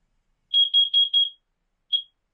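Four quick shrill chirps then one more after a pause, clean and loud; the new alarm is responding correctly to its test button.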